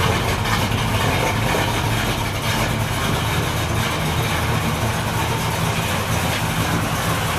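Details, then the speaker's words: 383 Chevy V8 in a 1964 El Camino, early start-up: deep throaty idle, steady low rumble with busy mechanical clatter on top, a little noisier than hoped but running evenly and healthy. "now it is a little noisier than I was hoping for but that's okay got a nice throaty sound to it so"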